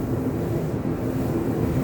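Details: Whirlpool LER3624JQ0 dryer after replacing belt, tension pulley and drum wheels: even steady drum rumble, earlier squeak from belt rubbing a worn skid gone; running smoothly.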